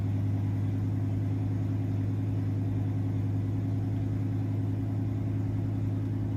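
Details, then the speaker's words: 1999-2004 Ford F250 V10 first start after head gasket replacement and head installation: smooth, even idle on all cylinders, oil pressure up, no weird noises. "sounds good oil pressure's up i don't know why i didn't do it while cranking but that's okay sounds really good"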